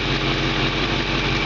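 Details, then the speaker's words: 1970 Mustang Fastback V8 idling steadily: a raspy, hissy edge over the low rumble from an exhaust leak; the engine otherwise runs great. "you can hear the engine just runs great but it does have that exhaust leak and that of course sounds you know like crap"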